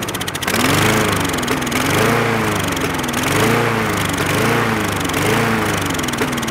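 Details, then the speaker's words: Trash-picked Craftsman lawn mower with a repair tag, given starting fluid: the small engine revs up and sags in a surging hunt, then dies once the spray burns off, pointing to a fuel-related problem; the carburetor is next. "this machine running and dying you have to be injected go go juice means that there's a fuel related issue once the go-go shoes gets inside the cylinder it burns and fires once it runs out there's nothing to replace it so it shuts down"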